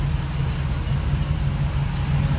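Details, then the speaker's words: Small blue truck V8 with the Quick Fuel carburetor replaced by a reinstalled, adjusted Holley 650 double pumper, restarted after cooling, coolant near 100: low, even, steady warm idle at about 650 rpm with no stumbling or hunting; normal idle. "let it cool down a while and see if it starts again start right up idle [Music] sounds like it did before"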